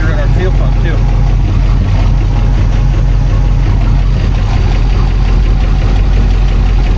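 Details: 1959 Plymouth Fury V8 at idle after new fuel pump and upgraded oil filter housing seals fixed the oil leak: deep steady even rumble, no ticks or knocks, slight smoke; runs good, no weird noises.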